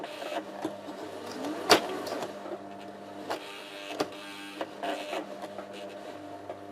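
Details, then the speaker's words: Sewing machine on zigzag stitch: uneven knocks and catches break up the stitch rhythm and the machine drags, worst on widest zigzag. Cause is a burr on the needle plate snagging the thread; silent with plate removed. "неисправность которую сложно найти при шитье машина стучит как что-то цепляет там бьет слышен конкретный звук"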